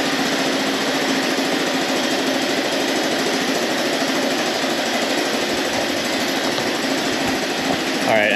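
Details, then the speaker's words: Abandoned 1983 Honda Big Red three-wheeler, carb cleaned, first start with the choke held closed in neutral: single cylinder putting with a choked, muffled chuff, weak pulse at the pipe and no smoke. The exhaust sounds plugged in the muffler. "this exhaust is pluged hard the anything coming out and it just doesn't sound right"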